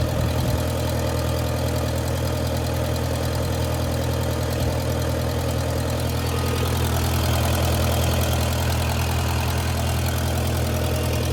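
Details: 1959 Case 300 tractor petrol engine with updraft carburetor, warm day, clutch disengaged, after generator repair: steady, even low idle with a smooth regular beat, no knocks or misses; healthy, and now charging.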